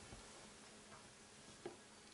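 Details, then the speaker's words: 2.5-inch mechanical laptop hard drive plugged into an M1 Mac mini: faint, steady buzz with scattered soft ticks. Normal spin-up and seek noise from a noisy, slow drive. "this is mechanical hard drive the speed is very bad on this and this is very noisy too you get this sound from your hard drive so now i plug it in"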